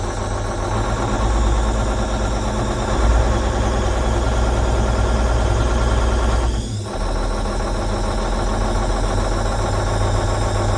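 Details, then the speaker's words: Versatile 2360 tractor with a Cummins N14 rated 360 hp, idling; owner suspects a sticking or failed injector. Uneven, lumpy beat and shaky low drone that shakes the cab, with belts squeaking. Rough idle, suspected failed injector. "It feels pretty rough in here in the cab. You can see everything is kind of shaking around."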